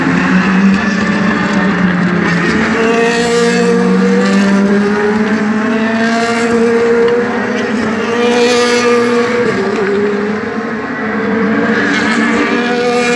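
Loud V8 rising and falling through the revs with an uneven, stumbling edge to the note, which sounds like a misfire.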